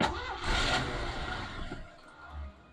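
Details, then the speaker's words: 1989 Isuzu Trooper barn find, long stored, first start attempts: engine catches with a brief rough rumble, stumbles and fades within seconds; starts but will not stay running, fueling issue suspected. "You can hear it start, but it doesn't want to stay on, which is not really ideal."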